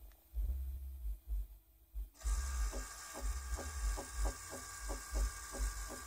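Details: 2008 Toyota Prius in ready mode during brake bleeding, suspected accumulator pump failure: after pumping the pedal a hiss starts, then the pump motor runs with a fast steady ticking as it cycles; cause not confirmed.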